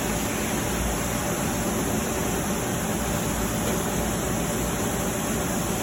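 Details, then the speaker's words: Marvair wall-mount AC unit after replacing a faulty Coollinks control board that caused a communication alarm. The compressor fired up after a delay, and an even hiss and hum of fans and compressor follows, with no rattles; it is working properly. "there would be a delay there it goes fired up wow that's funny"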